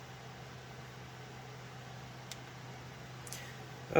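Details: Alphacool Eisbaer Pro Aurora AIO test on a server: steady low hum with an even airy rush that never changes pitch; loud, noisy fans, to be swapped out.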